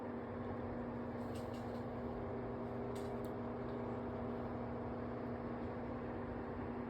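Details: Cascade full size 40" tower fan, test run on speed 1 with oscillation: a soft, even whoosh with a steady low hum that never wavers; runs smoothly and quietly, normal low-speed running.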